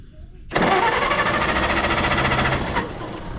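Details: 1960 International tractor, gasoline, cranking after it started, ran and died: steady cranking churn for about two seconds that never catches; no-start traced to an empty fuel tank.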